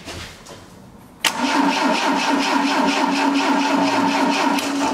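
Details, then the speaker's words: 1980 Triumph TR7, 2.0 slant-four, sat 7 years, new plug wires: starter churns steadily about three beats per second, never fires; no spark found, owner suspects kill switch or ignition switch cutting ignition. "don't have no fire so it's definitely a fuel switch or ignition switch somewhere like a kill button or something that we need to uh look in the car see why we don't have any Spark"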